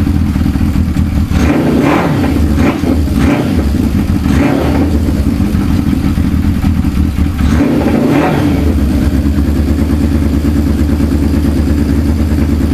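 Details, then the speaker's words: Suzuki GS550 cafe racer, previously running on three cylinders with cylinder 3 dead, after carb strip and reassembly: steady, even four-cylinder idle with sharp throttle blips, no missing beats; all pipes hot, all cylinders firing. "they're all hot to touch now so all four cylinders are working and it sounds bloody good really bloody good"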